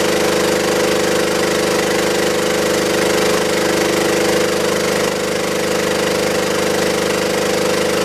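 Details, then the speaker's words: Belt-driven air compressor on a scrap-saved single-phase motor at 240 V, after the crossed capacitor wiring (start cap fitted in place of run cap) was fixed. Steady even pumping chug at about 3.5 per second over a constant hum, no knocks or squeal; current drops as oil warms. "So you notice how the current draw went down as it ran? Part of that's because that compressor oil warms up and there's less you know, losses in the compressor mechanically as the oil gets warm."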